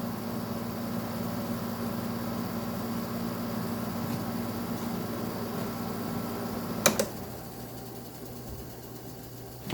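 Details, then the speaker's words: Arctic King air conditioner: steady fan and compressor hum with light, irregular scraping, then a click as it stops; leaves packed in the back condenser area are rubbing the fan, while fan bearings and compressor sound fine. "Fan motor bearings are good, as you can hear from the leaves scraping against it. Yeah, the whole back condenser area is just full of leaves."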